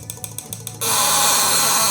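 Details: Homemade taser, 555 oscillator and transistor switching a relay into a transformer, neon lamp clamping output near 100 V, button pressed to shock: a few sharp clicks, then a loud, steady high buzz as the relay chatters rapidly, normal switching.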